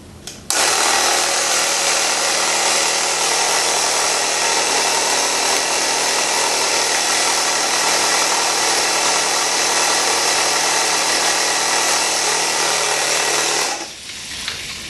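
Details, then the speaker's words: Tubeless motorcycle tire being inflated with a pump before the bead seats: loud steady hiss over the pump's drone as air escapes between sidewall and rim; sidewalls need spreading with the BeadSetR. "And we have nothing. And I could hear air hissing out between the sidewall and the rim. So I have to spread those sidewalls."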